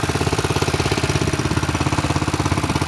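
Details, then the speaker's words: Go-kart small single-cylinder engine idling cold on a snowy day after a cold start: light regular valve clicking and ticking over a steady chug. "oh she's a cold motor you can hear the valve clicking and"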